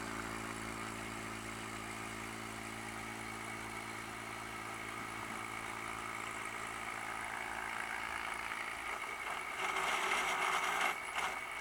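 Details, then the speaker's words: Pump test rig with a tank supply valve closed to raise suction vacuum: steady hum turns into loud crackling, hissing rush as bubbles form and collect in the flow meters, clearing when the valve reopens; cavitation or air entrainment. "ccumulated on in a flow meter and you can start hearing the noise the pumps essential running dry with a veins code is a by vapor or by air"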